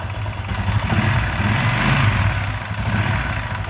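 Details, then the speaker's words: Honda Titan 125 motorcycle after its cam-side noise was fixed without replacing parts: steady, even single-cylinder idle with a soft thrum, noise about 85% reduced. Only faint ticking remains, heard with a key used as a stethoscope. "vamos dizer que tá melhorou em 85 porcento barulho aí olha lá só dá para perceber algum barulhinho quando a gente encosta a chave assim ó mas de ouvido mesmo aqui fora ficou lindo demais"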